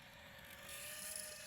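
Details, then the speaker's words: iFlight Nazgul Evoque F5 V2 FPV quad in flight: harsh raspy screech over the steady motor whine, rough and uneven, from a propeller that was not tightened properly. "so what we've got is look dodgy dodgy propeller not tightened properly so thankfully got me old we socket here so we can just tighten that up and get back to it because I knew you could hear it"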